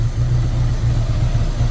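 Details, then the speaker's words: 1983 Honda GL1100 Goldwing that sat 9–10 years, restarted warm after a carburetor sync. Smooth, even low burble with a steady pulse and no knocks or misses, settling to about 950 rpm idle; sounds healthy. "now yeah that sounds really good let right down back to 950 where it needs"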